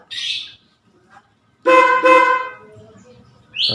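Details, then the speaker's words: Newly installed horn on a Yamaha Vixion R with engine running: two firm, clear blasts of steady pitch with no rattle or fade; normal horn. "berfungsi normal, teman-teman. Bunyinya memang seperti itu."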